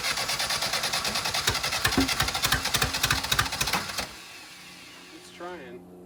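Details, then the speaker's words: Willys CJ2A Jeep being revived, timing being adjusted, carburetor suspect: rapid starter chatter with uneven attempts to fire for about four seconds, then dies; cranks but won't catch, owners unsure whether timing is wrong or it's now flooded. "I don't think so. But maybe we flooded it too now."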